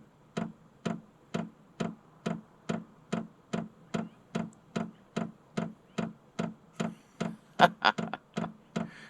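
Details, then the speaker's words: Vevor 8 kW 12 V diesel air heater in manual mode, fuel pump priming with sharp, even clicks about twice a second as it draws diesel before first firing; normal. "so that clicking that's a fuel pump track trying to draw diesel in there"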